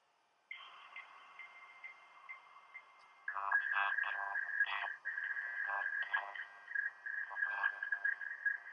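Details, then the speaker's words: iBook G3 or PowerBook G4 with phone line hooked up dialing out on dial-up in 2025: dial tones then warbling, hissing handshake tones; modem dialing and negotiating normally. "Anyway, um we are now dialing. We do have phone hooked up. Yeah, I don't know if you can hear that."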